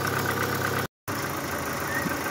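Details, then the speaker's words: Opel Astra G Coupé Bertone petrol engine idling smoothly and evenly after throttle body cleaning; the ticking/clattering (a lifter likely de-primed) has gone, valvetrain now quiet and healthy: normal idle. "elle fait plus le bruit de cliquetis."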